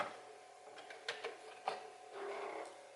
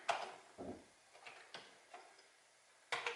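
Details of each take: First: Known-good replacement Commodore 1541 disk drive on a Commodore 64 loading a program: soft whirr with scattered light head clicks and a short buzzy seek, how a working 1541 should sound; normal floppy drive loading. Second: Commodore 1541 floppy drive from a backyard shed, loading a directory: sharp irregular head clacks, then a steady rough grinding whir while reading; it struggled with the disk.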